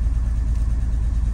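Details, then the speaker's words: 2002 Porsche 911 Targa (996), revived after two years sitting with a no-crank/no-start immobilizer fault from a water-damaged immobilizer: first start after repair settles into a deep, steady, smooth idle with no misses, knocks or ticks, and no codes. "So the car is running and no codes."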